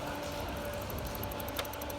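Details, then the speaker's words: 2014 Porsche 991 with P1071 code, on a power supply, purge (tank vent) valve commanded via scan tool: faint, rapid, even ticking of about ten per second over a quiet hum. This is normal purge valve clicking. "there it goes you can hear it very light pretty sure you can hear that on the video now"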